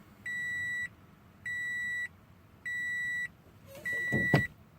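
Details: 2013 Scion FR-S manual: repeated steady high beeps about every 1.5 seconds with no cranking when the start button is pressed with clutch in; start system refusing, likely key fob not recognised.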